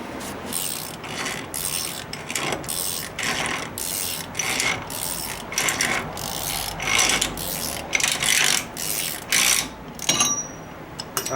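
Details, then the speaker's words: Bullnose Ford F-150 Cummins, Dana 44 straight-axle swap, front wheel bearing checked after about two years, hub spun by hand as grease settles: even whirring with soft air-pocket pops, no grinding or roughness; bearing healthy. "I start getting it going here. I let the grease settle. You can hear the air pockets kind of popping. Spins really nice."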